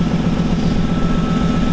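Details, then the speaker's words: Lexus LS400 V8 idling steadily with a faint rapid ticking and puffing following the firing rhythm; owner suspects an exhaust leak from the engine downward, possibly at the EGR pipe. "Men nu hör ni att det är avgasläckage också. Det vill jag ju fixa"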